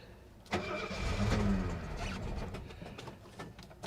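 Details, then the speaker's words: 1972 Mercedes 250S at auction, fuel pump primed first: the starter cranks and the engine catches briefly with a few uneven firings, then stumbles and won't keep running. Hard start. "oh this is it come on little girl yeah she wants to start she sounds good there it is she is alive"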